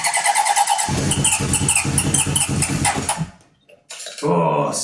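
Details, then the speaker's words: 1978 Honda CB750 engine and carbs on a stand, likely not run in over 10 years; uneven cranking with a few weak firing stumbles that die away. Owner suspects too much air and is adjusting the choke and fuel. Nearly fires but won't start. "close there think too much air is getting through so if I hold this all the way in to reduce the amount of air coming through that should then fire oh so close"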